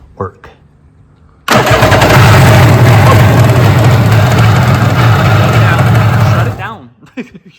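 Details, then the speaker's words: 1994 Kawasaki 750SX two-stroke jet ski, about 30 years old, after a short new fuel line was fitted to the carburetor: cranks, catches first shot and runs loud and steady briefly, smoke from the tailpipe. Shut off quickly because it was running without cooling water. "it works that worked first shot my mind is blown what do you think that's awesome oh my gosh smoking out of the tailpipe sweet that's good"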